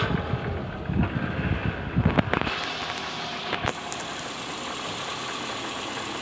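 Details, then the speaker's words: 2009 Toyota Alphard 2AZ-FE, cold morning start: rough, uneven rattling at steady idle in neutral from low near the oil pan, easing once warm; balancer shaft found loose at gear no. 1, worn balancer shaft. "Jadi terdengar bunyi sangat kasar di area mesin walaupun posisi Netral ini langsung muncul bunyi kasar"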